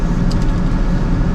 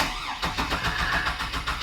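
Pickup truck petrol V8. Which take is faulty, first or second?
second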